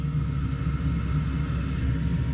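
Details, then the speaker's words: Truck parking heater after blower motor replacement, burner lit after a few seconds: steady, even low rumble with smooth blower hum, blowing hot air, no surging or knocking, much healthier than before. "it's blowing hot air. And it's sounding a lot healthier than before."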